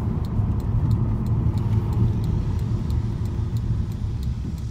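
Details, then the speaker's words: 2005 Audi TT 3.2 slowing to a stop sign after spraying aerosol brake cleaner on squeaky brakes: low road rumble, no brake squeal; squeak reduced to about one stop in five. Quiet braking, no squeal. "once again no squeak we're coming up to another stop sign see if we get a squeak right here"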